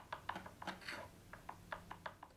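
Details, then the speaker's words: Gibson SG guitar frets during leveling: light sharp uneven clicks as the fret rocker straightedge rocks across three frets, showing frets aren't yet level — more sanding needed. "that clicking sound is indicating we have more work to do so more sanding"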